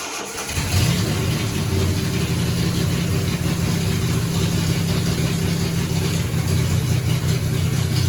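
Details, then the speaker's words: 1975 Triumph TR6 after the camshaft timing was redone, first start: charging 14.2 V, about 85–86 degrees with the thermostat open, oil pressure 90 psi. It catches quickly and settles into a steady, smooth idle; normal. "Alright, so sounds good. The alternator is charging 14.2, we just measured."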